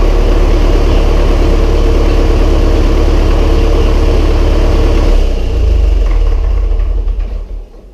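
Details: Massey Ferguson 135 tractor first start after oil change, filter and valve adjustment, high-low in neutral: steady, even idle with smooth beat, no knocks or misses, then winds down evenly; starts straight up, healthy.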